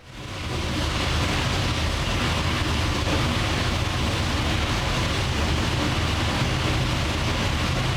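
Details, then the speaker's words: 903 cu in pro-charged Hemi on the dyno after a camshaft change, run naturally aspirated with no boost yet. Loud, lumpy rumble with a choppy cam beat, firing crisp and even, no knocks or clatter. Sounds meaner and crisper, normal running. "She runs. Sounds a little bit meaner. Honestly, I think now that we've changed things around that it sounds a little crispier, if you know what I mean."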